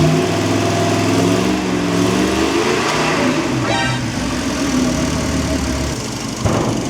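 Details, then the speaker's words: Ford 460 big-block V8 with vintage high-compression heads and stock cam, timing being set near 30 then backed to 10 degrees: revs then brief fast rattle near the top; unknown bad noise, sticking distributor weights suspected. "I did not like that sound. Whatever that sound was. I'm going to have to pull this distributor out."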